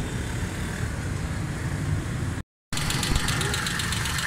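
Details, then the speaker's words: Suzuki Khyber car after repair: spark plugs cleaned, valve tappets reset (one too loose, one too tight), carburetor mixture, power jet and both medium jets fixed. Steady even idle, uniform low rumble, no dropouts or misfire; normal idle. "ये गाड़ी start है, बिल्कुल still smooth है, किसी किस्म की कोई missing या कोई मसला कुछ भी नहीं है।"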